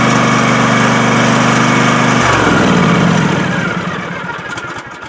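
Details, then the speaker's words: Husqvarna TS246XD lawn tractor, always hard to start cold since new (owner usually needed starting fluid); here warm, the engine catches and runs roughly for a couple of seconds, then loses power and cuts off. Owner's trick: bump the forward accelerator when starting. "well it's warm there so it actually acted like it wants to start but it cut off"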